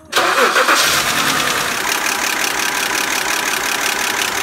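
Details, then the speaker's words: BMW E90 325xi N52 engine at start-up and idle; busy, fast metallic clatter from the exhaust camshaft journals worn in their bearing ladder under the valve cover, common around 100–150,000 km; fix is replacing camshaft with ladder. "Nous entendons l'arbre à cames et secouons le jeu dans l'ensemble."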